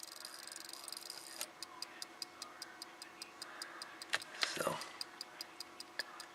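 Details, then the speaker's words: Samlex SEC-1212 power supply removed from service for electrical issues: quiet, sharp regular ticking about three per second over a faint hiss. The 2200 µF 25 V capacitors are blamed, and three are being replaced to stop the noise. "so as you heard in the video these guys making a test ticking and hissing tone so we're gonna replace three of these caps"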